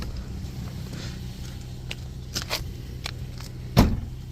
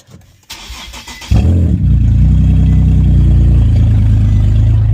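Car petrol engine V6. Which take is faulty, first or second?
second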